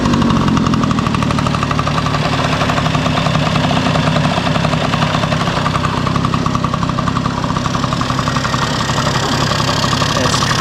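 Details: 1971 Yamaha Mini Enduro two-stroke, first start in decades after carburetor cleaning, muffler refitted with washer O-ring; loud busy idle with fast even popping beat holding steady. Normal two-stroke idle, running clean.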